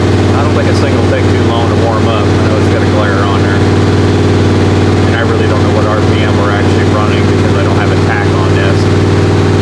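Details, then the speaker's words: 1977 Chevrolet Malibu V8, cold start around 57°F, non-functional choke, cam break-in run at high idle about 2,200-2,500 rpm: steady, deep, smooth burble with no knocks or misses; healthy. "So I'm going to go ahead and fire this thing up and idle it up and try to do another 15-20 minute run to try to break the cam."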